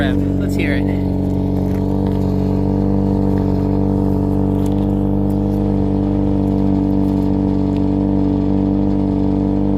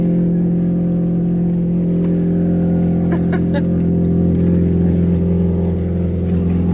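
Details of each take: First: Saturn Ion Redline after an exhaust leak repair, where warped flanges got two homemade gaskets plus RTV: a steady, even idle with a smooth low drone and no puffing or ticking from the joints; it sounds sealed. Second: Saturn Ion Redline at cold idle before exhaust repair: loud, deep, rough, slightly uneven drone from an exhaust leak somewhere up front; idle slightly wonky until warmed up. Exhaust leak.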